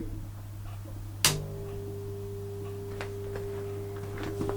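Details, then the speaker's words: Vintage Oxford RT110 MMA stick welder, switched on after sitting about 10 years, set to 95 amps: steady low mains hum, a click as it switches on, then a clean higher buzz; humming as it should, healthy transformer. "starts humming don't if you can hear that in fact it's humming it's a good sign it's on it should hum that's a good thing"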